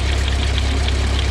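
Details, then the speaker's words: John Deere No. 5 sickle mower driven by tractor PTO with a welded, lengthened shaft that hits the frame if raised higher: steady low drone with even rapid cutter-bar clatter, no banging or binding; mower works properly. "I have some grass over there I could probably try to cut it on. But it's working at least, so that's awesome."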